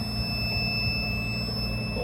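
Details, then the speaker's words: Chicago Electric 500 A Harbor Freight tester at full resistance on a 3-year-old EverStart 29DC 12 V deep-cycle boat battery: steady high alarm tone over a low hum as current drops fast and voltage falls to 10 V; battery okay but not perfect. "That's full resistance. Knob doesn't go anymore. Wait to hear the alarm."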